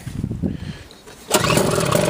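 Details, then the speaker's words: Sears snowblower after fuel system cleaning, carb rebuild, new float, bowl, fuel line, primer bulb and spark plug. Started on half choke, it catches at once after a few pull-cord tugs and settles into an even, steady run; a normal start. "There we go. Auger works good down there."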